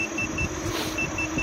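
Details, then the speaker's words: KingSong KS14C electric unicycle, 800 W, 680 Wh, heavy rider, about 10°C, 22 km into range test on 4 bars: sharp high beep triplets over wind and motor hum, speed warning cruising near 25 km/h. "But as you can hear, I'm beeping all the time, so that means that I'm cruising at around 25 kilometers an hour back in my town."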